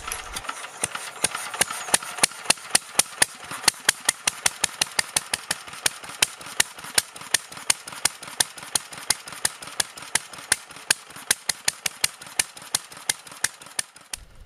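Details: BSA 300 watt ex-military generator (Chore Horse copy) after valve regrind and points cleaning, magneto coil secondary open circuit giving weak spark: sharp, even firing about three per second, no misses; small engine running steadily.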